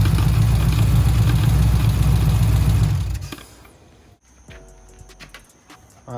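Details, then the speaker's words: 426 Daytona V8 that sounded bad after a start in a parking lot: lumpy idle with a steady knock near four per second; owner suspects rod knock, unconfirmed. Oil is low and very black about 3,000 miles after a change. "shouldn't be that black but yeah it's got a little bit sound like a knock so i don't know to be continued"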